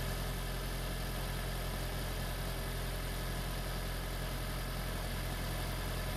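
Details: Freshly swapped 2016 4th-gen engine in a 2012 Prius V, just after first start, running in maintenance mode on jack stands: a smooth, even low hum at steady idle with no knocks, misses or rattles; a normal idle.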